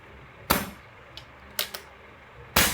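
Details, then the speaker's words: Scoped airgun fitted with an improvised silencer: a few sharp, short cracks die away fast with no loud bang after them; the suppressed shots stay quiet. "tahimik naman yung kanyang silencer."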